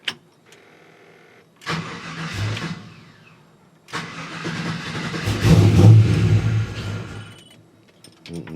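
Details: LS1 V8 just after a camshaft swap, idling with 63–64 psi fuel pressure while the air-fuel ratio is adjusted. Long cranking before it catches, then uneven surging revs; hard start and erratic running, traced to the intake boot.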